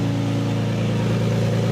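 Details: Lexus SC300 5-speed manual, early-morning start with light rev: steady low drone with rapid puffing, ticking chuff, identified as an exhaust leak.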